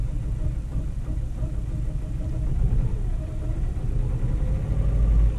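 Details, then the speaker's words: Ford Fiesta 1.4 TDCi diesel with lumpy running, injector unplug test: with cylinder one unplugged it still starts but idles even lumpier and shakier, running on too few cylinders; cylinder one judged good, cylinder two injector suspected faulty. "okay that's interesting so that it still starts the car so um but it does feel worse like it's even more lumpy now"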